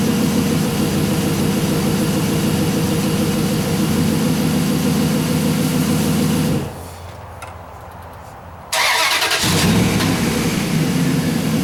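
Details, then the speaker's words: Dodge Hemi after camshaft position sensor replacement for P0340 hard starting and stalling, codes cleared: steady, even idle with slight muffler noise, a brief gap, then smooth again; normal idle, no new codes. "but the engine sounds good I'm not getting any more trouble code so hopefully we have the problem sticks"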